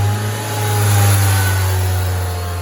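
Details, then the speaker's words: 2005 Honda Civic DX road test at about 20 mph after replacing the right front wheel bearing: smooth steady engine and road hum, no growl or rumble from the wheels; the bearing noise is gone. "oh that was that 20 well that's how bad that wheel bearing was all right the noise is gone"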